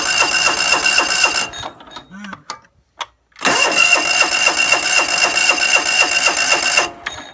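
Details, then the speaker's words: John Deere LX172 lawn tractor cranking with throttle at choke but not starting: even cranking about four turns a second with no firing; choke plate not closing fully, linkage needs adjusting. "so I'm seeing why it's not starting I got the throttle up in choke but you can see the choke plate down here is not closing all the way"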